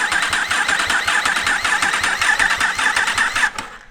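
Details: Yamaha R1 race bike (Josh Day's) after rebuild with engine just refitted: steady starter whirr with even pulses near 105 a minute, no firing, cranking without fuel to fill oil filter and front oil cooler; normal cranking.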